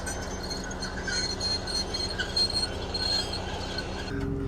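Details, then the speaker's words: Farm roller rolling with a steady rumble and a light, high metallic tinkling that comes and goes; owner suspects another scraper is going or a scraper is catching the roller. "You can still hear that tinkling along. So maybe there is either another one going or the scraper is captain."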